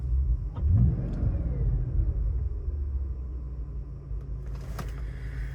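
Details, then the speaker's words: Audi D3 S8 V10, idling after a 30% throttle pull; scan shows random multiple misfire, cylinder nine. Low uneven lumpy idle with periodic stumbles, one cylinder dropping out. "Random multiple misfire. Cylinder nine. Definitely running a little chunky."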